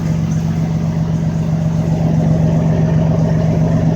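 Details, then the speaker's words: 2004 Dodge Ram 1500 6-cylinder, engine running with the driveshaft rotating, viewed from the driver's side: rhythmic low throb about four times a second as the driveshaft wobbles from play in worn U-joints; U-joint then replaced. "So, I'm like, yeah, we gotta put a universal joint on here. Thing's going crazy."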